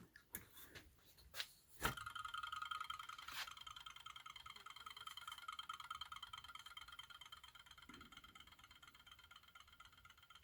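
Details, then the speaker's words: 3D-printed barrel-magnet rotor on a double JL 94 circuit coil setup, power switched off: rapid even ticking with a faint whir slowly fading as the rotor coasts down. "you can hear it winding down yeah hmm you turn it off I'm not really sure what the hell's going on"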